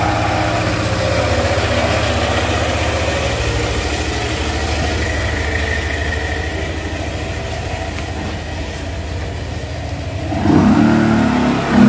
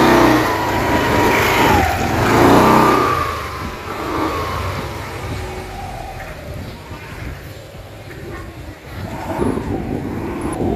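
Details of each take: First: Yamaha NMAX scooter CVT, after a squeak like a trapped mouse from a stop up to 10–15 km/h was traced to the clutch lining and the original Yamaha part was fitted: smooth drive drone rising on pull-away, with no squeak, during the test ride. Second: Yamaha NMAX scooter CVT with its aftermarket clutch lining refitted for comparison: high mouse-like chirps when pulling away from stop up to about 10-15 km/h, fading with speed; the faulty aftermarket clutch lining causes the squeak.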